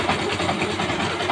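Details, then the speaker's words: Motorcycle engine at idle: a wavering scraping whirr rising and falling, like something rubbing inside the engine; most likely a damaged bearing, not confirmed. "pag ganire ang tunog ng inyong motor, parang may umaalun-alun ba? Ito, malamang sa malamang bearing sira."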